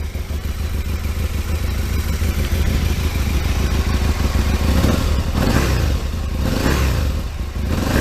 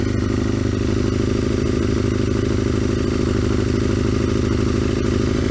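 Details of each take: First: Aprilia RSV Mille 1000 V-twin after swapping stock silencer for a larger aftermarket exhaust can: deep, fairly subdued idle rising smoothly with throttle blips, much louder than stock; normal running. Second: Aprilia RSV Mille 1000 started cold on full choke after long storage: loud, hard-edged idle with a fast, even throb; exhaust far too loud.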